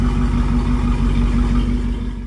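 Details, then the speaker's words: 1971 Rover P6 3500S V8 US export, after fuel pump replacement: steady even low burble, smooth unbroken beat, no misses or ticks; fuel pump working, no fuel leaking, a success; normal running. "Fuel pump's working. I don't see any fuel leaking. I think it's a success."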